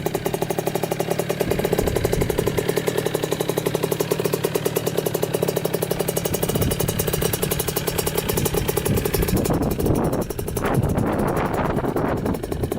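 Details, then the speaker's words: 2000 Kawasaki KX65 two-stroke after full rebuild (new piston, crank, bearings), ridden up to third gear: crisp rapid buzz holding steady, blipping cleanly with throttle; strong, runs really good. "thing has a lot of power for a little bike to a third gear [Music] [Music] [Music] yeah she runs really good I am impressed with that"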